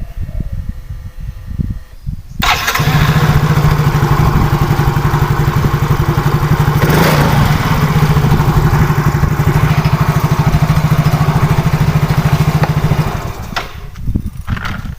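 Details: Yamaha Soul GT fuel-injected scooter, complaint hard starting and sputtering, after replacing the fuel pump: catches after a brief crank, steady even low idle for about ten seconds, then shuts off; normal start and idle.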